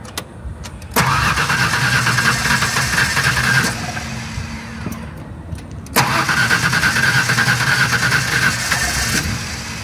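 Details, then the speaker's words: LT van that had sat an hour, with radiator bubbling: two bursts of fast starter cranking, about three turns a second, that never catch. Water shoots out of the radiator while cranking; blown head gasket suspected, causing the no-start. "I can just shoot see the water shooting out of the radiator as I'm [Music] cranking I I think that's probably going to be a noo on that one"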